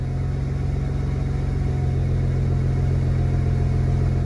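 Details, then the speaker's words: BMW E90 335i with a VRSF street cat-back exhaust running with a steady deep drone and no metallic rattle. This is after fixing the 3.5-inch mid-pipe that rested on the rear crossmember plate and rattled at cold start and cruise. "so hopefully now there aren't any unusual vibrations and we can you know raise people with confidence and not think that my car is about to fall apart"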